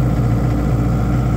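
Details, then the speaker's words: Airman SDG25 25 kW generator, which had no voltage output, running after the tripped output circuit breaker was reset: steady even low diesel drone, no misses, knocks or surging; reads 60 Hz and about 200 volts, no load. "we got 60 HZ which is exactly what you should have and 200 volts"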